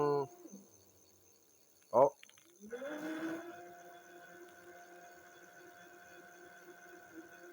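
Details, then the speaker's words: Jasion EB5 Plus e-bike hub motor at 95 miles, which stopped working and was freed to turn again: a whine rises, then a steady droning hum swells and fades, sounding like a motorbike, with rubbing. Internal motor fault suspected, not confirmed. "this one with what I assume is a bad motor has got sounds like a motorbike going down the street"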